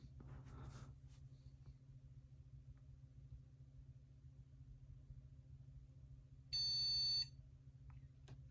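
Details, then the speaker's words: Shuttle HOT-433 motherboard with a Matrix Millennium graphics card, powered on before the cache chips are installed: a single short, clear high PC-speaker beep over a faint hum; normal POST pass, memory test passes. "PC speaker beeps that's nice yep memory test still works graphics card is clearly happy excellent"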